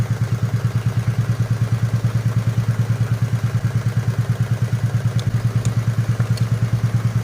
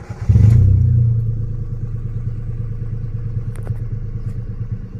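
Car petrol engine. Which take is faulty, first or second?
first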